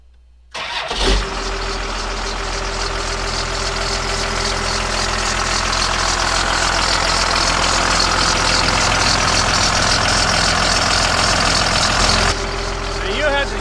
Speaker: yeah the little Cummings fires right up